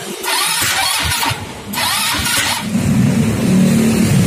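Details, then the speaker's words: Carbureted four-wheel automatic motorbike that will not start. Repeated cranking bursts, then a rough low drone with no clean firing. Spark is present at the coil-to-plug lead and the lead is refitted OK, but it still won't start; plug and carburetor to be checked next. "Ya, kabel yang baru saja kita sambungkan kembali ke busi dalam kondisi baik. Namun, motornya tetap tidak mau menyala."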